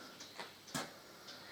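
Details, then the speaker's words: Harley-Davidson Deuce being reassembled: a few soft, scattered ticks as the front wheel is turned slowly by hand, the balancing beads inside the tyre rattling about; normal tyre balancing bead rattle, nothing wrong. "Now that noise you can hear, I'm saying that you can hear, I can hear it. That's, it's got balancing beads inside the tyre. So that's them rattling about."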